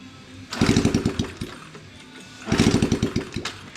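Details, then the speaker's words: 70/72cc Coolster pit bike, exhaust off, after a flywheel case failure: two bursts of quick kick-driven chuffs, never catching; cranks but won't fire, owner suspects cooked sensor. "Yeah, but I mean at the same time it should still [ __ ] start. It still should start. Yeah. I know that that's got to go off. I mean, this sensor could be cooked."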